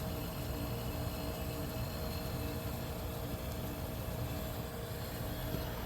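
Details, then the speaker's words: 1973 Westinghouse 25-pint heavy-duty dehumidifier, just acquired after sitting in a cabinet shop, running normally: steady even low hum with a faint mid tone, no knocks or rattles; smooth balanced motor. "it's uh very smooth operating yeah the motor's perfectly balanced nice and cool so far"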